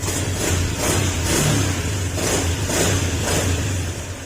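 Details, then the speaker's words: Honda Beat FI scooter brought in misfiring and hard-starting, after TPS checks: engine runs with an even, steady low idle beat and clean swells as the throttle is eased; slight hiccup before the ECU is reset; fuel pump later blamed. "Okay umandar na kung mapapansin niyo nagkaroon siya ng Menor kaso may konting sinok"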